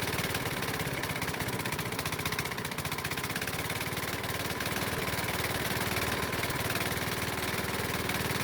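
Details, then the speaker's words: Used Honda lawnmower engine, running again after a spark plug swap, known to burn oil: rough, loud run with a hard, regular knock about four per second, loud enough to need hearing protection; rod knock. "unfortunately i found out that it had a rod knock the engine makes a knocking noise so loud that i have to wear hearing protection"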